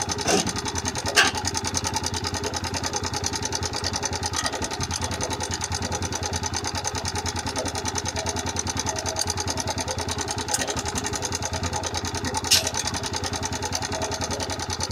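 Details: TVS Raider 125 motorcycle engine at idle with "tik tik" ticking problem: light fast ticking, about three clicks a second, over an otherwise steady idle; top-end tapping.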